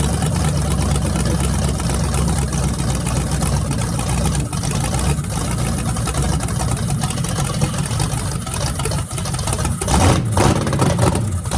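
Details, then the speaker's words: Freshly rebuilt small block Chevy 350 (355) on a converted run stand, open headers, restarted after adding gas: a deep, loud lope at steady idle with a few throttle blips. Normal idle and revving; afterwards it reads 107° front and 76° back, plenum 69°. "sounds mean as can be so I'm just excited to uh be able to let you guys hear it"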